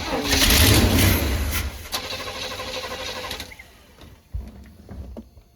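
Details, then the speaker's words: 1985/1986 Chevy Hi-Cube van, ex-police vehicle, being revived: fed from a boat tank through an electric fuel pump, carburetor filled. Starter whirrs with a few catching chuffs that die away to clicks; cranks but won't keep running. Fuel system suspected plugged, fuel pump not working. "filled the carburetor too, and it does not appear to be working from there. Yeah, this thing just is plugged."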